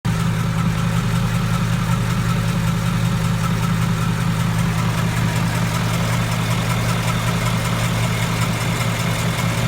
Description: My 2015 mustang is making a ticking noise from passenger side cylinder head.